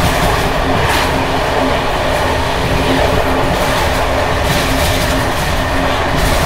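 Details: Czech Bd264 481 coach (built 1979), Görlitz V bogies many kilometres since last major maintenance, evening express on uneven line 190 between Hluboká nad Vltavou and Číčenice: continuous tinny, uneven rattle and clatter under rail roar as brake rigging bounces. Rattling worn bogie brake rigging.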